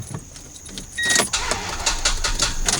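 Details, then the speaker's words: Toyota Tundra that wouldn't start after being parked overnight, battery terminals already cleaned: brief sluggish turn, then sharp irregular clicks about three a second without catching; suspected weak battery, to be replaced. "barely turns over and then goes click click click click I think it's the battery"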